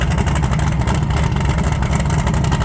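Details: 1980 Trans Am Gen 1 small-block Chevy V8 turbo after valve seal replacement and a drive to clear intake oil: deep steady throaty rumble, no miss or rattle; former heavy exhaust smoke now gone, barely any at startup; normal revving.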